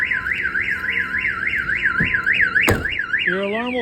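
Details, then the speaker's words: 1992 GMC Sierra 1500 Z71 with a newly installed Viper 5706V alarm, armed: rising and falling siren cycling about three times a second as someone tries to crank the engine; kill switch stops it starting. "another good feature about this alarm is that it has a kill switch [Music] so for an example somebody tries to [Music] crank it over and tries to steal it it's not going to start at all"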